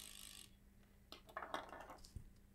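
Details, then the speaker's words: Bose 3-disc CD changer on a 4 V bench supply: irregular scraping clicks and stuttering catches as a gear binds and grinds while the disc mechanism tries to turn. "ah you hear that grinding noise I can see exactly what's going on"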